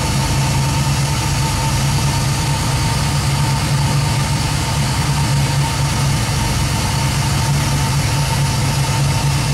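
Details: 1967 Nova with 2002 Camaro LS1 V8, 2010 Camaro fuel pump driven by Fuel On Demand controller at 58 psi, about 50% duty and 4 A at idle; steady even idle with faint constant pump hum, no misses; normal.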